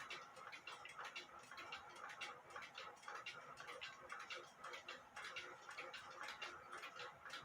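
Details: Granddaughter clock movement ticking again after fixing a bent verge and crutch assembly (foot was up in the air), timing-machine microphone; soft regular ticks about once a second, close to even, running near in beat, still needing a few adjustments.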